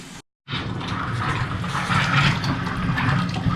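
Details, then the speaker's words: Newly replaced electric water heater tank being filled before power on, hot water valves open, air purged: even rushing flow from the open valve with no spitting or air bursts; system full, running normally. "okay, we've got water flowing out of this valve."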